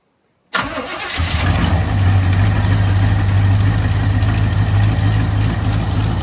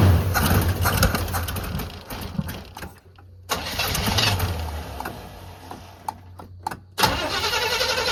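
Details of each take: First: 1985 Chevy C20, sitting over 10 years, first start using choke: catches after short crank and settles into steady, even low idle rumble, no misses or knocks; healthy, no smoke. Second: 1985 Chevy C20 square body truck that sat outside over 10 years: starter cranks in several long bursts with short pauses but the engine never catches; cranks, no start. Owner suspects out of fuel or flooded, not confirmed.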